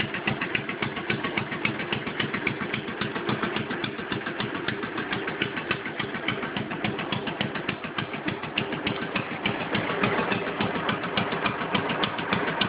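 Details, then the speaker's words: Stock 10 hp Cub puller tractor with a single-cylinder engine, still leaking a little oil at the crankcase breather: fires up and settles into a steady, even putter; normal idle. "got the tack on there runs all good all right I'm fire it up for you let you hear it son"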